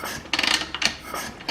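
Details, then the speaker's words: KTM 300 EXC two-stroke during top-end rebuild diagnosis, kicked over: sharp hissing gusts of air blow out of the water pipe inlet with each kick, exhaust gas leaking into cooling system, suspected blown gasket. "of air coming out of there which is the inlet of the water pipe so something's given out somewhere and it's letting exhaust gas into the cooling system"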